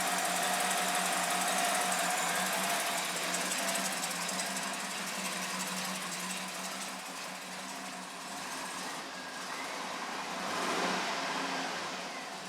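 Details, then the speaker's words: 2008 Cadillac Escalade 6.2L after engine rebuild, high crankcase pressure, odd high compression on cylinder 8, right after a hard start: lumpy chuffing idle near four beats per second with a brief rev; runs rough, cause not yet found. "it's running rough right now i'm just trying to idle"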